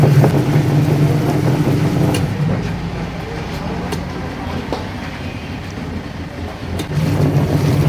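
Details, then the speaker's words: Washing-and-dryer machine whose wash motor previously would not run, tested directly after repair: steady low motor drone that eases off and picks back up as the tub turns left and right; wash motor running normally. "जैसा कि हमारे यह machine left और right दोनों side पर घूम रही है और प्रॉपर तरीके से भर कर रही है"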